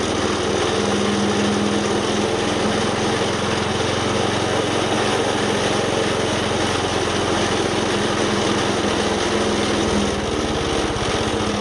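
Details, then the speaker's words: Wood chipper small single-cylinder engine after replacing a belt that let go: steady even speed, no slipping squeal or knocking; drive pulling cleanly, working again. "all right so you can see it's working again uh now that we got the belt on there"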